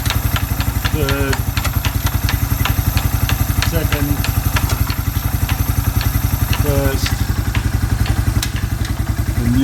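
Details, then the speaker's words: Suzuki Quad Runner 250 single-cylinder idling under restoration, exhaust refitted back to spec: even, unhurried thump about 220 beats a minute with a correct exhaust note; normal idle. "exhaust I think it sounds all right well it sounds like it's gonna sound because it's back to spec"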